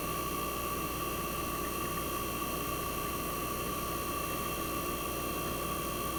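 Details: 1965 Fedders Weather Wheel air conditioner just after cold start in a very cold shop: even steady hum, clean constant tone, no knocks or rattles; compressor smooth and quiet at almost 59 revolutions per second, starting to build head pressure.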